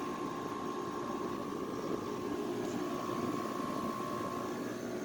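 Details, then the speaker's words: 2009 Haier window air conditioner with rotary compressor, November startup after a month idle: steady, even mid-pitched hum, no knocking or rattling, line freezing as it always does, cold air; normal compressor running. "Nice sounding compressor. This line is starting to freeze up, but it always does that. Ritchie Precision rotary."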